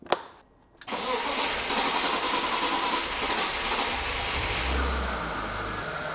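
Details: 1996 BMW E36 328i, M52 inline-six, 193k km, after oil pump service, VANOS replacement and new plugs: brief starter whirr, quick catch, smooth even idle with no ticking or knocking; healthy cold start and idle.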